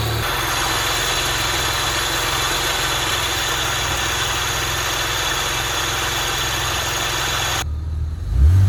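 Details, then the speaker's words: Saab Turbo X, B284 2.8L, 6-speed manual, engine at startup with the hood open: a steady loud run with a constant hissing whir over the top that doesn't fade. The AC compressor or condenser is suspected, and the compressor was later replaced. "but real quick I want to show you a noise it's making we think it's AC condenser um I'll open the hood and do a startup of it so you can actually hear it"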